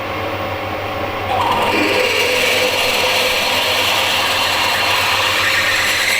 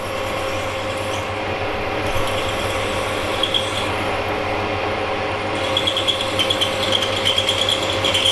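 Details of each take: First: Drill cutting a face mill adaptor to tap 12 x 1.75 mm: a harsh, screechy cutting noise rises as the bit bites in, then smooths out once it is through a hard spot, with a lot of heat. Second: Drill boring a tapping hole in a steel INT30 face mill adaptor past the hard spot: steady low hum with an even scraping cut and no chatter or squeal, a clean normal cut.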